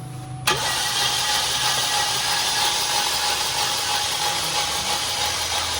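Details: Chevrolet Trax LT, towed in after sitting in stock, with a new fuel pump and ignition coil already fitted: steady, even cranking that never catches, a crank no-start. Spark, injector and compression are being checked and the cause is unconfirmed.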